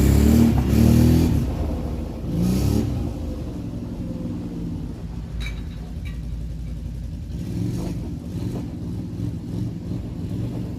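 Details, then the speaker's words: Rebuilt 2007 Can-Am Outlander 500 single-cylinder riding after slit fuel line replaced: revs cleanly then settles into an even putter; slight exhaust smoke, clutch a little clanky, maybe needs new belt; normal running. "all right well she's working working really well i mean a little bit of smoke here off the exhaust that's fine the clutch is a little bit clanky maybe a new belt as well but otherwise this thing is running really good"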